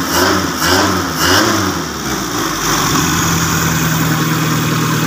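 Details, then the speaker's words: Customised five-door vehicle used only on a plantation, engine run after finishing: raw blaring exhaust roar through revs, then a loud uneven idle, with no silencer fitted; loud exhaust from missing muffler. "suaranya agak sangat berisik sekali kita matikan bagian dari lampunya kita kecilin aja bagian dari lamsamnya"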